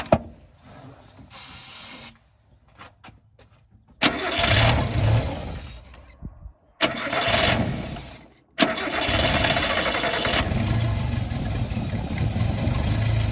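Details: 29-year-old Subaru Sambar kei truck after winter storage, carbureted: repeated bursts of steady cranking that never catch, with pauses between tries. Crank no start from fuel starvation; fuel pump bone dry and not priming, no fuel reaching carb.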